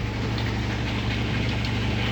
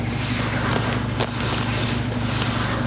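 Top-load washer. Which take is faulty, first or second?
second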